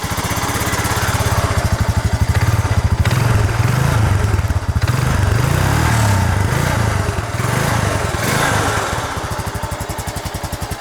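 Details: 2007 Honda Rancher ATV whose OEM muffler had grown loud, now fitted with a second welded-on muffler: low, even single-cylinder thump, muted and smooth with throttle; normal running with quiet exhaust.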